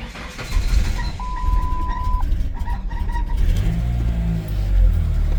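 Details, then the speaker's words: 1999 Ford Ranger 2.5L four-cylinder with a high idle fault, after replacing the temperature sensor: it cranks, catches quickly and idles smoothly with no surging. The high idle is fixed, though the idle may need a small adjustment. "There it goes. My issues fixed. I might need to adjust the idle a little bit, but happy to know that that worked."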